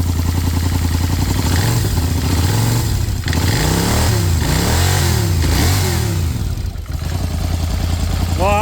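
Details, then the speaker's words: Polaris Sportsman 850 ATV that knocked heavily, started after the flywheel fix: fires up and settles to a smooth, even idle with a few revs and no knock. Knock was the flywheel, not a rod; normal idle. "Well, that sounds quiet now."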